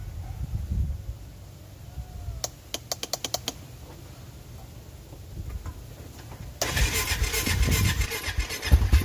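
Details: Honda Foreman ATV after carb cleaning to fix not staying running: a few light clicks, then the single fires and settles into a steady even idle; starts and runs cleanly.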